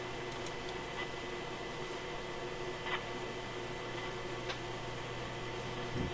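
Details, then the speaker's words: Sparton Model 67 vacuum tube radio after connecting two wires to fix the fault, now working on all bands: steady hiss with a few even tones, no crackle or dropouts; normal radio reception. "band are we on that sounds pretty good let's take a little reading on the meter here"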